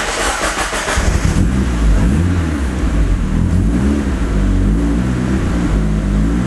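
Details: Turbo Miata with Hydra Nemesis EMS on a cold start (car last run a couple hours earlier): the starter catches after a second, then a steady, even, slightly raised fast idle with a smooth low rumble and no knocks. A normal cold start and fast idle.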